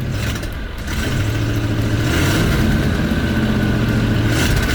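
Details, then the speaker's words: 1989 Ford Bronco after new battery cables, just restarted on a weak battery, leaking fuel: engine revs but pull is ragged with stumbles and sputtering; won't respond properly to throttle, cause not pinned down. "That's been the main issue I've been having with this thing, is it won't respond to throttle."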